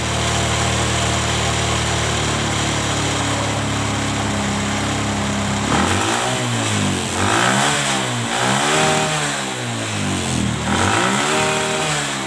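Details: Kawasaki ZX motorcycle, stock carburetor with good TPS and needles, mixture screw set 5.5 turns out after carb adjustment for high-rpm popping and midrange hesitation: even idle about six seconds, then four clean throttle blips rising and falling smoothly; idles and revs properly.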